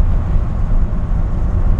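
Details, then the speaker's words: 1960 Ford F100 pickup with an RV cam: a deep, steady, even exhaust rumble with no knocks or misses; a healthy engine. "got a nice little Rumble to it it's got an RV cam in it"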